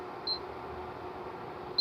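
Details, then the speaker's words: Opened Electrolux ICP30 induction cooktop (6300 W, 127 V) with no cookware on it. Two short high beeps about 1.5 s apart as it searches for metal; with no pan the field doesn't run, which is normal. "não está verificando se tem uma alguma coisa metálica em cima como não tem nada metálico pra fazer o campo ele não funciona"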